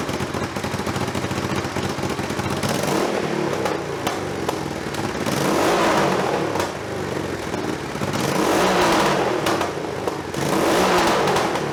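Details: Budget scrambler build, hot day, exhaust measured with a decibel meter: revs swell and fall with scattered sharp pops and crackles on the overrun, popping less than before but still popping when revved. Cause suspected, not confirmed.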